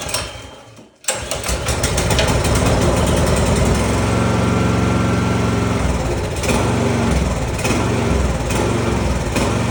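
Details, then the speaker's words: Snowblower small engine with electric start, after rebuilding carburetor mixing new parts into old carb: silence then it catches at once, settling into steady even run without stumbling or surging; successful fix. "Remember that spring I was talking about? That's it. You know what? Start it up. It's a successful fix."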